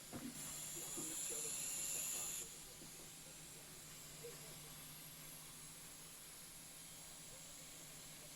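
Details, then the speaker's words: 1975 JVC 9407LS radio cassette player after contact spray on the record switch, whose bad contacts caused hum: only faint even tape hiss, hum and buzz gone; normal playback. "And as you can see here, the humming or buzzing is gone now."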